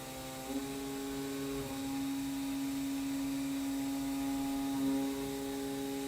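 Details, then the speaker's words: Hurco CNC milling H13 with an MSC Edge end mill on an adaptive toolpath, feed raised to 115%: a clean steady singing tone with no chatter or squeal. A smooth stable cut that sounds amazing, with large swarf. ">> That That sounds amazing. >> So, that actually upped it another 15% on what I upped it before."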